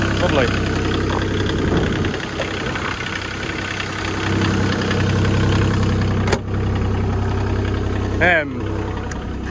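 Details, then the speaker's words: Develon diesel excavator started just after a service, run to check for leaks. It settles into a steady, even idle with no misses or knocks and runs healthily after the service. "Right then, service complete. Fire it up, make sure no leaks. Should kill straight into life, shouldn't it? Yes."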